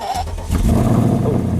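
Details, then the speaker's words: Freshly rebuilt Mercedes C63 AMG M156 V8 with headers and tune, cold start in freezing weather: starter catch and quick flare to deep, even, fast high idle with steady rumble, no smoke though a warning light appears; clean, normal cold start. "oh we're getting a cold start and a warning light no smoke sounds beautiful these Tunes get rid of that high idle cold star which I guess is good for the engine"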